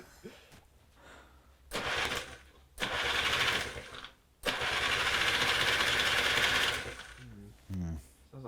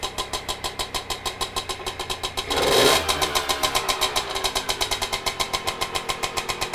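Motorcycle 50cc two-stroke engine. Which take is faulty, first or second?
first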